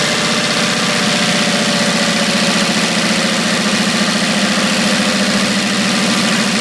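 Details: 1980 International Scout II with factory Nissan SD33T turbo diesel, first run after rebuild, cold idle: harsh, rapid clatter with a loud, sharp top end, noisier than normal; owner unsure whether the cam is the cause.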